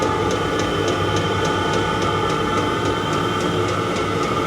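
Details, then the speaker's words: Cheap Chinese diesel heater on a 12 V 360 W supply, just lit on first startup: steady burner roar with crisp, even fuel-pump ticks about three a second, blowing warm air; running normally. "but it does sound like we're heading a liftoff if this is goodbye see you now the tick is a tick you know but would rather have a tick and be warm or no tick can be cold"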